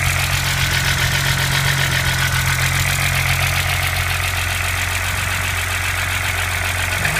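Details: BMW M20B25 inline-six after intermediate shaft repair: smooth, even idle with a steady low drone, no knock, and a slight rise near the end. Normal idle.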